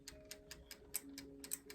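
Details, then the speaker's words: VanMoof S3/X3 e-bike wheel spinning after the brake caliper was reinstalled and adjusted and the pads cleaned: even, crisp freewheel ticks about five a second, with no scraping or rubbing; the brake is clear. "Just listen to it. I don't hear anything. And then you try engaging the brake. Make sure nothing's rubbing."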